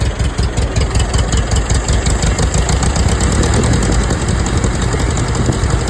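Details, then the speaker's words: Old tractor running healthy with a steady, even low beat, a firm exhaust note and no knocks or misses. Afterwards it would not restart; the owner thinks the starter probably needs rebuilding, as it only cranks fast enough on 12 volts. "Runs great. I'm impressed."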